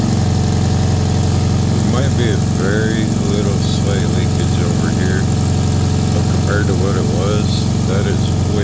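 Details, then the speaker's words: 1995 Toyota Corolla with 257,000 miles, after an exhaust flex-pipe repair with Holts paste and FlexiWrap; earlier the exhaust noise came from the front. Now a deep, even idle thrum with no puffing or ticking, sounding solid and sealed. Normal idle. "But yeah, you can you can hear it. Runs really good. Really solid. Exhaust sounds way better."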